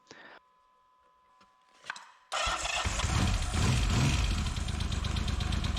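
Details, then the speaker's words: 1979 Yamaha XS750S, rebuilt engine that failed after about 50 km, after wiring, fuel, carburettor and timing advance repairs with the advance plate refitted; cranks a couple of times, catches at once and runs strong and steady; normal start and rev. "So I'll give it a good test. The advanced system's working well. Put the plate back on, and it starts great."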